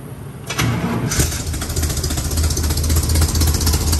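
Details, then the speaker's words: Chevy Mule (UTV) 350 V8 just after new plugs and wires; before the tune-up it misfired and seemed to run on six cylinders or less. Cranks, catches within a second and settles into an even idle with no misses. Normal idle. "That sounds way different, though. It literally sounds like it must have been running on six cylinders or less."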